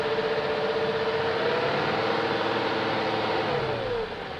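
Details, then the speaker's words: 2001 BMW E38 740i running after Vanos rebuild, new Vanos distributors and intake cam-end gaskets: light quick tick about four per second lingering at the top end; lifters checked, spark plugs tight, no codes, source still unclear. "and i still have that ticking sound i checked all the lifters i have redone the bannos"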